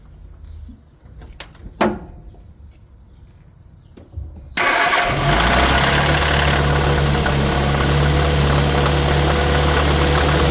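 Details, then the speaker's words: 1969 Austin America first started in 15 years after carb work, with timing retarded and the enricher hooked up. It catches and settles into a rough, loud idle with a steady mechanical rattle; a bad water pump is suspected but unconfirmed. "So it runs, but something's making noise. I don't know if it's a bad water pump. Man, I can't even talk near it."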